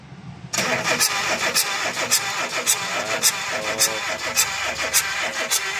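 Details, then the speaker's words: Chevrolet Spark that won't start after overheating: steady starter cranking with even compression pulses, about two a second, but it never fires; fuel and spark are present and the head is full of oil, leading to an overhaul. "Ayaw [Musika] umandar guys sa Chevy spk so Ayaw umandar so tingnan natin start muna"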